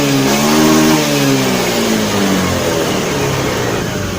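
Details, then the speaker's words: Honda Beat FI scooter after reset with jumper to fix bogging on throttle: engine revs up cleanly, pitch rising smoothly then easing back without stumbling; normal throttle response, fault traced to the TPS sensor, fuel pump pressure slightly weak. "berhasil ya jadi permasalahannya ada di sensor TPS"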